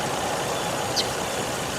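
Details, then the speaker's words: Car that sat 11 days and cranked oddly, owner thinks it was flooded (possibly leaky injector): smooth, steady idle with even hum, no misses or knocks, now running normally; normal idle. "I'm totally confused as to why this occurred to begin with and why it just magically works now, except that it was flooded."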